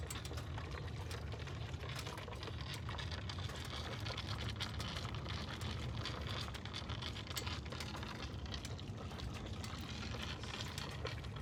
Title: Does anyone know what this is? I pulled in turned it off & it was making this noise